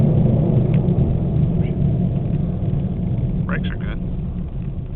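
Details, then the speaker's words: 1998 Oldsmobile Cutlass cruising about 38-40 mph: heavy steady low rumble, no clicks or grinding; badly worn front wheel bearings/hub assemblies, before replacement. "And that's what it sounds like. Yeah, these are by far the worst bearings I've ever heard in my entire life. like I'm pretty sure that the front wheels are about to fall off."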